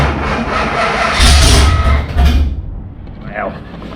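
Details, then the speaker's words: 1977 Pontiac Trans Am V8 during restoration, no throttle cable or gas pedal hooked up, timing not yet set: cranks, catches unevenly, dies within two seconds; owner suspects carburetor needle and seat sticking, starving fuel. "Having a little bit of problem getting fuel up to it. I think my uh needle and seed is sticking from time to time, but uh let me see."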